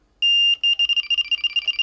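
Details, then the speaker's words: Delkim bite alarm with NiteLite indicator, 12–15 lb abrasive line, no weight: long steady high beep then rapid pulsed tones about eight per second, the warble signalling a run, unlike small liners or knocks. "and now it's hitting the warble when it's go time, and that is the big difference."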